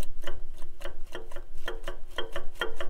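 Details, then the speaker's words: Farmall Super M tractor engine during teardown, engine off: sharp irregular clacks, several a second, as the cam gear is rocked by hand; excessive timing gear backlash, like the live hydraulic pump gear, likely a huge source of the problems. "can hear it for sure. It is way loose. Just like the live hydraulic pump gear. So that would be probably a huge source of our problem."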